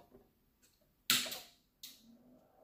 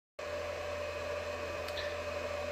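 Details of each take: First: Alinco DM-30T/DM40T switching power supply after replacing its noisy fan with a Nanoxia Deep Silence 60mm 2000rpm fan. Two switch clicks, then a faint, steady soft whir. The new fan is nearly silent, much quieter than the original. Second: Alinco DM-30T switching power supply, before its fan is replaced with a 60mm 2000rpm silent fan: steady loud fan whoosh with mid-pitched drone and low hum; loud cooling fan noise.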